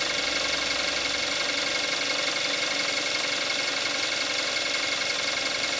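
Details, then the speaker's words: 2014 Kia Forte5 2.0 GDI, 41,000 miles, synthetic Amsoil 5W-30, engine more warmed up after cold start, camcorder's built-in mic: smooth even idle with light quick ticking about three per second; normal direct-injection injector tick. "This is what it sounds like with the engine more warmed up."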